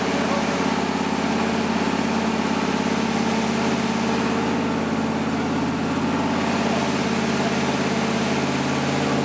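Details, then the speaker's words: 1977 Ford F150, first start of new engine during break-in: steady, even V8 burble with smooth unchanging beat, no knocks or misses; normal idle. "golly it sounds so good baby it's out so good"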